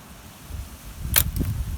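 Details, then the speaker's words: DIY scrap spot welder, capacitor discharge through a relay on battery, first test: sharp loud electric crack that welded the pieces but was too powerful and burned the wood; owner plans a smaller capacitor. "hey that was a nice one well that seems to be a bit too powerful so i think i might have to reduce the size of the capacitor but it definitely spot welded them together look at that"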